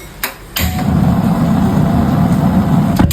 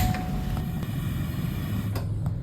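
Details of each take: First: Gas stove with a worn brass burner that is holed and no longer precise: a sharp pop, then a loud, low fluttering roar for about two and a half seconds; replacing the burner made it normal again. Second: Gas stove after replacing a holed, warped burner with a new brass burner: smooth even low roar with a few handling clicks, no whistling or popping; burning normally again.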